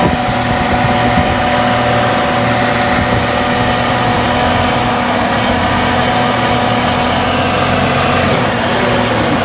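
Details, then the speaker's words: 1998 Jeep Cherokee XJ 4.0 idling before TPS replacement, no codes: idle rises and falls with occasional uneven sputters, revving up and down for over a week; owner suspects throttle position sensor. "can kind of hear it sputtering. So I'm not throwing any codes or anything. You can just see the idle going up and down a little bit."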